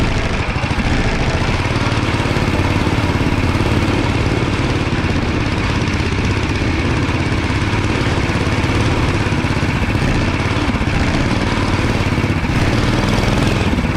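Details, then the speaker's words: Dingo 420 single-cylinder kart on test ride under load, chest-mounted camera, exhaust reworked to face rearward; long steady mellow drone, quieter than before, no misfire or rattle: normal exhaust note, though chain and axle problems persist. "Exhaust sounds good, not nearly as loud and in your face as the other one, obviously, since it's facing the other direction."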